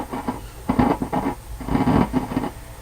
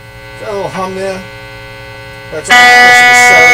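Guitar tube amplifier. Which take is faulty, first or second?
first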